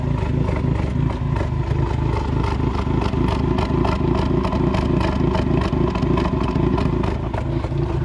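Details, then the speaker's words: 2020 Ford Mustang EcoBoost with MAPerformance Stage 1 forged short block, balance shaft delete and Ford Performance camshafts; tune locks cams in maximum overlap, giving a loud uneven lopey chop at idle, about three lumpy beats a second, shaking the whole car. "that is true cam overlap chop who says EOS can't shop they sure can that thing sounds gnarly look the whole damn car shaking man"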